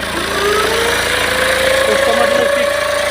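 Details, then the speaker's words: Tata Safari Storme diesel at idle, turbo pipe burst and smoke: steady whistle creeping up in pitch; Garrett turbo core worn, shaft has play and blades cut inside, worn turbocharger core. "Core में problem है तो चलिए इसकी को खोलते हैं तो इसका जो य है ना अंदर घूम रहा है य इसमें प्ले भी है इसकी पंखी भी अंदर से कट चुकी है"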